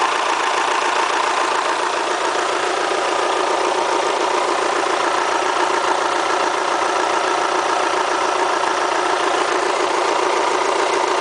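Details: Kia Spectra at 90,000 mileage, idling with a dense, sharp ticking clatter riding over the engine like a diesel. The owner asks whether it is critical, and the cause is unknown. Diesel-like engine clatter.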